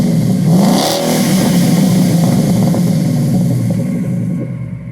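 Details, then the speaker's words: 2014 Ford Mustang GT with replacement engine and Corsa quad-tip exhaust, revved outdoors in wind: a quick throttle blip swells into a deep V8 rumble and falls back smoothly; clean, healthy exhaust note, normal revving. "I like the way they sound. They sound pretty good. So. They sound pretty nice."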